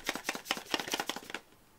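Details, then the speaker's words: Cheap Captain America-branded massage gun with 2000 mAh battery: loose rattling, about five clattering hits a second, then stops; shaking all over the place, poor cheap-plastic build quality. "it's shaking all over the place"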